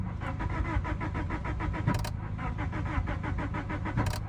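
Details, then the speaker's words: 1989 Honda Civic sedan, non-running and recovered after theft, battery nearly dead: starter cranks at a steady even rhythm but it never catches; owner suspects no fuel and can't tell if the pump runs. "I don't think we're getting fuel. Can't tell if that's the pump or not kicking on."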